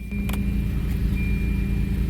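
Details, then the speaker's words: Volvo work truck restarted after a stall, owner unsure if relay or fuel pump: steady, even low hum, no knocks or misses; normal idle. "Fired right up. Ah. God, that's frustrating. Oh well. It's purring like a kitten."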